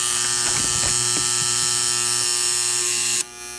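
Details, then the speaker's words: Loud harsh steady electrical buzz from the motor at the rear of a Teletype Model 33 ASR at power-on; turning the motor changes it. Owner says it doesn't sound like a capacitor but plans replacing the two big capacitors. "Okay, check out this loud buzzing sound. It seems to be coming from the rear of the machine. I'm just going to turn the power on at the wall. It's very loud. Doesn't sound like a capacitor. Something is buzzing very loud"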